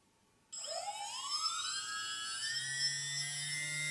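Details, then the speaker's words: TBS Discovery quadcopter motor number two being balanced with tape on the prop: spools up to a high whine that settles into a rough, wavering buzz, showing bad vibration, so the tape needs moving. "so I use small small piece once again just tape it on spin the engine okay that was really bad you need to move"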